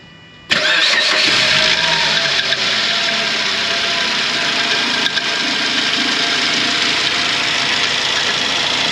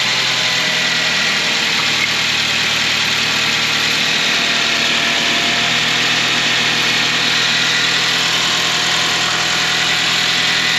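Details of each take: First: 2006 Suzuki Grand Vitara 2.0 petrol automatic, 230,000 km, just after start: a harsh scraping rattle rides over the idle and persists. It was traced to the timing chain. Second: 2006 Suzuki Grand Vitara 2.0 petrol, 230,000 km, after timing chain replacement: a steady, even idle with a smooth hiss and no scraping or rattle. The timing chain is now healthy.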